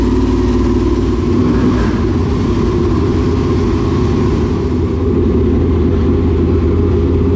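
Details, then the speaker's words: Dirt late model race car with a fresh V8, after a power steering pump change and idle adjustment: a deep, steady burble with an even firing beat and no knocks or misses. Normal running. "all right i guess that'll do i don't know i think they both sound great"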